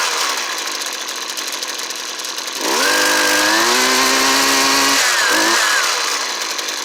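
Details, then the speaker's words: Husqvarna 329L trimmer after recoil starter repair: high buzzing rev wandering and dipping unevenly instead of holding steady; suspected to need carburetor tuning. "yeah all right guys so you can see it needs a little tuning it sounds like but he just wanted the recoil starter fixed i'll let him know i could probably tune that carburetor a little bit"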